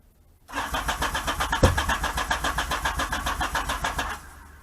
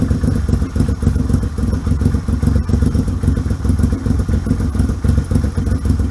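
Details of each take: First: 1978 Yamaha XS750 Special, first start attempt after a 3-week revival, fuel on, choke on: steady chug of the starter turning the engine about four times a second for several seconds, never catching; cranks but won't start. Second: 1978 Yamaha XS750 Special triple, first run after a three-week revival, kick-started on choke: deep, even thumping exhaust pulse with steady rhythm and clean revs, no misses or knocks; healthy.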